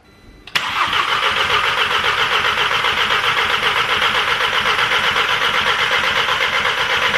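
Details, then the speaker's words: Audi TT with a freshly rebuilt turbo engine, new plugs, first start: catches and settles into a steady idle with a loud raspy pulsing burble, Subaru-boxer-like, from the downpipe only loosely bolted to the turbo, leaking exhaust. "I haven't bolted the exhaust up, the downpipe up to the turbo. I've literally just loosely put the bolts on. It's giving me very much Subaru Boxer engine note at the minute"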